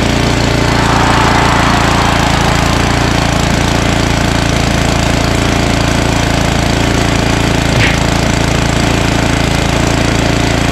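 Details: Ariens ST1128 snowblower, 11HP Tecumseh Snow King engine, cold day, after carburetor cleaning and pilot jet fix for surging: steady, even single-cylinder beat holding speed with no hunting or surging; running smoothly.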